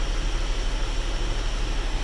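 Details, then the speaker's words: 2006 Honda Odyssey AC after cabin filter change: steady, even rush of air from blower with no rattle or whine; previous blower noise gone, more airflow and colder; normal AC blower airflow. "ahora sí vamos a escuchar el aire cómo está el aire de bonito el aire acondicionado"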